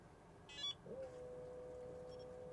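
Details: Hcalory 12V 5kW water hydronic diesel/petrol heater on a test bench, controller button held 3 seconds to turn the unit on: one steady mid-pitched beep as the controller powers up; normal power-on signal.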